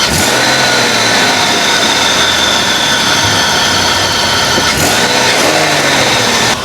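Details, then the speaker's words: Buick LeSabre after misfire fix: junkyard coils didn't help, replacement ignition module cured it; engine now catches and runs steady and smooth with no miss. "perfect she's alive"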